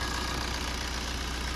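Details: Maruti Swift in for clutch set replacement, alternator pulley and belt replacement, gearbox overhaul and general service: smooth, even idle with a steady low hum and no knocks, squeals or rough spots.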